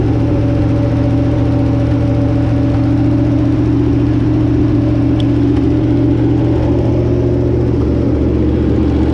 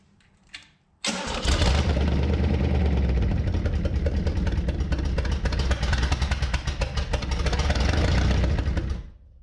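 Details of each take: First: Barn-find Chevrolet 327 on a run stand with a short water pump and partial radiator: even, steady low burble at fast idle with a smooth whir, no knocks or misses; runs healthy, slight exhaust leak noted, thermostat possibly missing. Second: Barn-find Chevy 327, sitting since the 1990s, on a new engine run stand with a fresh battery and carb cleaner: steady fast cranking, about three turns a second, uneven low chugs but no sustained firing; cranks without starting.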